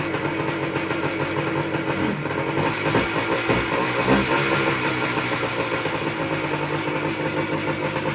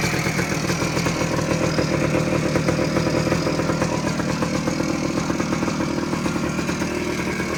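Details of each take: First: 1979 Suzuki PE250 two-stroke dirt bike, sat unused for years, first start on choke with no air filter fitted; ragged uneven burble without steady beat, cold and needing warm-up; cold engine running on choke. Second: 1979 Suzuki PE250 two-stroke, revived after sitting a couple of years, 40:1 premix, clutch cable not yet fitted: even crisp ring-ding idle, no stumbling or hunting, owner thinks no air leaks; sounds pretty good, normal idle.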